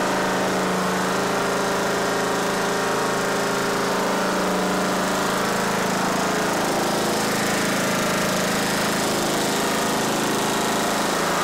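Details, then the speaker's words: Simplicity Regent mower with a 14hp Kohler Command engine, bought with electrical issues, first run after cranking to prime an empty carb, fuel line and pump: steady single-cylinder fast-idle chug, even and clean, no knocks. "it starts it runs it sounds great it really does"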